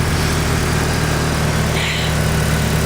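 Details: Mitsubishi Evo, turbo, modified with a vent-to-atmosphere blow-off valve, snowy weather: steady, even low hum with no misses, knocks or hunting; healthy, settled idle.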